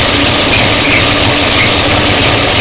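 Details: 1966 Ford Mustang 289 V8 running. A loud, constant high squeal that persisted after tightening and soaping the fan belt. It turned out to be the alternator squealing under charging load, not the belt.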